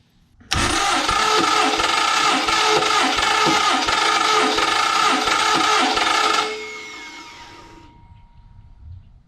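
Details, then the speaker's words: 1974 Mopar 400 big block on engine stand, fuel and water pumps off, cranking compression test reading about 165–170: steady cranking, about three and a half beats a second under harsh gritty whir; owner says starter and flywheel sound rough. "I know my starter and flywheel sound a little rough in some areas we'll get to that"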